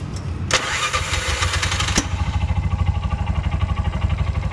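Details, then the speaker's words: Bajaj BS6 motorcycle with RPM-light starting trouble, battery jumped: starter drags the engine over sluggishly with labored pulses before it catches; slow cranking from a loose engine ground connection that turns by hand, cranking speeds up once it is tightened. "ಇದು ತೊಂದರೆ ಇಲ್ಲಿ loose ಆಗ್ಬಿಟ್ಟು ಏನಾಗ್ತಾ ಇದೆ ಅಂದ್ರೆ ಗಾಡಿಗೆ ಎರಂಗ್ ಸಿಗ್ತಾ ಇಲ್ಲ ಅದಗೆ ಸ್ಲೋ ಆಗಿ ಸ್ಟಾರ್ಟ್ ಆಗುತ್ತೆ"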